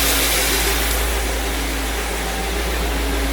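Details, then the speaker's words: 1956 Cadillac Sedan DeVille V8 at normal idle after exhaust manifold leak repair (burnt gasket replaced) and new belts: steady, even low rumble with no belt squeal or ticking, much quieter than before. "so with the exhaust manifold leak gone and the new belts that I have on it you used to be able to hear the belt kind of squealing as they went for the engine is much much quieter than it was"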